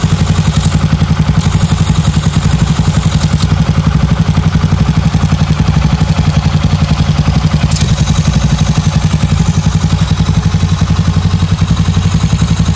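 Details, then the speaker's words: Freshly rebuilt Honda Beat carbureted 130cc, stock valves, new cylinder liner, first start for break-in without revving: even single-cylinder putter about four beats a second, no knocks or rattles; clean healthy idle. "Kita ryen duduk dulu. Enggak langsung kita gas-gas dulu karena seckernya baru, cola-nya juga baru. Jadi perlu ryen duduk dulu."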